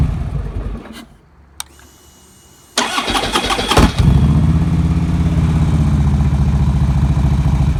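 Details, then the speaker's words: 2009 Harley-Davidson Road King after starter clutch replacement for horrible starter noise; quick clean crank, catches immediately and settles into steady loping V-twin idle, no metallic grinding from starter. "Wow, that sounds pretty good. So far, that's 100 times better than it sounded."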